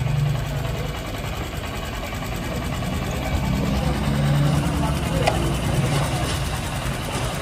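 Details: Honda SP 125 BS6 single-cylinder after service for a ticking noise: steady, even idle with a smooth low thrum and no tapping on top; sounds healthy and quiet.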